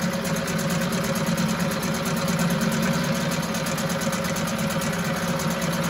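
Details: 1974 US-made Mercury 4 hp single-cylinder two-stroke outboard, revived after long storage, running after reassembly: quick, even buzz with steady firing, no misses, knocks or surging, runs like a top; normal running.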